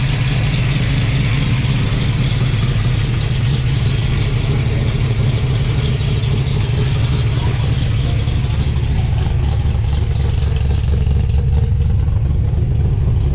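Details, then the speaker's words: 1972 Dodge D100 V8 truck at first start after fitting a 3" X-pipe with Flowmaster F/X mufflers in place of 18" glass packs, heard in the cab while checking for leaks: a deep, even, mellow burble with no puffing or ticking. Normal idle. "More tolerable in here. Mellowed out some. That's kind of what I was after."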